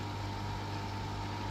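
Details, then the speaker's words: Beko smart inverter dishwasher on program 8 after freeing a drain pump stuck from months of non-use: a steady, constant low hum with no rattle or grinding; the drain pump now runs smoothly. "Now drain motor, you can hear the noise. Now drain motor is working."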